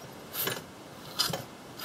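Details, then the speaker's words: Old Wright gas-powered reciprocating saw pulled over by hand after cylinder cleaned and oiled: three slow soft whooshing strokes about every 0.8 s with faint resistance; low cranking compression. "and now i do actually have a little compression you can probably hear that"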